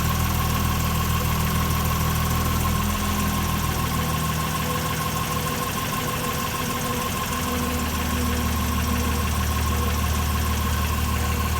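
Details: Jaguar F-Type V6 with 8000 km, cold start idle: a faint, even knock at about three per second, low on the passenger side (LHD), fading after a few minutes; owner guesses piston slap, unconfirmed.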